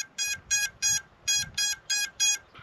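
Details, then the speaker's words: FPV quadcopter's ESC lost-model beacon triggered from the radio menu, sounding through the motors without an external buzzer: seven short high-pitched chirps about three per second, fairly quiet; lost-model beacon beeping. "piepen ist jetzt erstmal nicht so laut aber es hilft mir schon mal mit kleinsten helferlein ein kopftor wiederzufinden"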